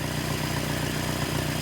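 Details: 1978 Datsun 1500 Ute GN620 with new carburettor, running on 20-year-old fuel without temporary tank: steady even idle, smooth low pulse, no knocks or misses; normal idle.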